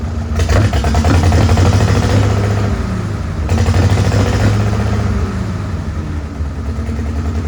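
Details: Farmall H tractor four-cylinder with an uneven, lumpy low beat, loping rhythm and puffing, like missing on some cylinders. Carb not flooded and timing found not out; distributor to be checked next, cause not confirmed.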